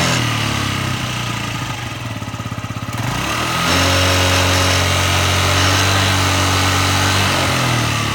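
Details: Yamaha Jog ZR two-stroke scooter (SA36J/SA39J), about 9,000 km accident bike, after repair of an abnormal engine noise: even popping idle, then revs up and holds a smooth steady tone before dropping back, a healthy engine.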